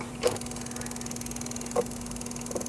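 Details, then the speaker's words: EVAP purge solenoid valve, unbolted and pulled out during diagnosis of an EVAP code, begins fast, light ticking with sharper clicks; it had not clicked before, so the valve was stuck and has been jarred loose. "A minute ago, that wasn't clicking at all. As soon as I unbolted it and pulled it out, it started clicking like that, which goes to tell me that that motor, that little purge valve was stuck, and I jarred it loose by doing that."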